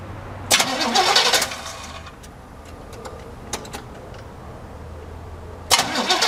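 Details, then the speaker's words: El Camino, newly fitted side-post battery: starter whirs in two short bursts, engine spins freely (not seized) but never fires; crank-no-start, old contaminated gasoline found in fuel filter and carburetor afterward. "See if it does, and we'll go crank it up and see."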